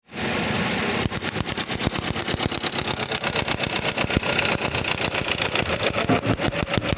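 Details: Toyota petrol engine idling roughly with an uneven chuffing pulse, cylinder 1 misfire (code P0301).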